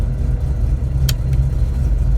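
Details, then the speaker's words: Engine with a newly installed MSD 3-step on an analog MSD 6AL box, launch-control step at about 3,000 rpm; engine holds a fixed speed with a rapid choppy stutter as the limiter cuts in and out, working properly. "So that one should be 3,000 RPM. Awesome. So that works really good."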